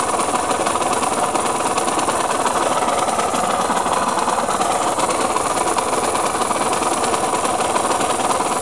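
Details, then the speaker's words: KMX two-stroke motorcycle engine, before restoration: harsh, busy rattling rasp over the two-stroke buzz without letting up; owner says bearing noise; engine bearing noise. "Et après réparation, on verra ce que ça donne. Bruit de roulement."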